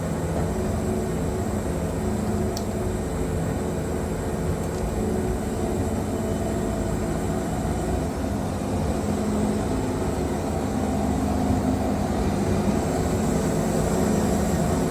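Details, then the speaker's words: Wood-Mizer Super 70 sawmill with new drive belt (about 4-5 hours run) and resharpened 747 Turbo band, cutting a very knotty log at maximum push: steady deep drone holding under heavy load, no bogging or squeal; only a little belt slip. "I mean, that's an extremely knotty log right there, and it's just tearing through that like it ain't nothing."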